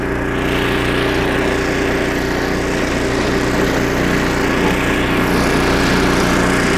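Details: Snowblower about 25 years old, small engine after carburetor rebuild with carb kit and new needle and seat, working through snow: constant even pitch, no surging or stumbling; normal running under load after repair.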